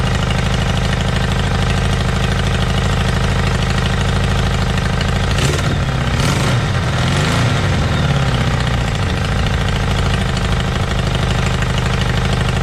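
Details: Motorbike started outdoors; when bought it ran poorly and its carbs were filthy: steady, even idle with a loose, slightly loud exhaust note that holds its speed. Normal idle, owner confirms both cylinders are running.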